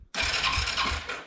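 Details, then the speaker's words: Arctic Cat 300 ATV sitting about 15 years, after carburetor rebuild, fuel tank cleaning, new battery and voltage regulator: starter spins the engine briskly and evenly for about a second, and cranking sounds normal. "it turns over so that is awesome really happy about that"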